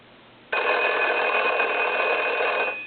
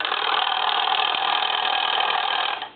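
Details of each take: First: Foreign desk telephone, believed to be a German post office model, converted to touchtone, with its original bell, at final checkout: a bright electric bell rings cleanly and evenly for about two seconds, then stops; ringer works. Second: Paris desk-style telephone converted to touchtone, bells muted: a dry, rapid buzzing rattle for about 2.5 seconds as the ringer solenoid still works. A rear on/off switch was added to silence it.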